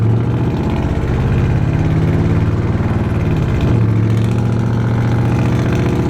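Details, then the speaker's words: Truck engine after swapping to a much bigger camshaft following lifter failure, mechanical advance only, no vacuum advance: deep, steady low rumble with even beat, no knocks or misses. Healthy normal idle. "My god, does it sound good at idle, though."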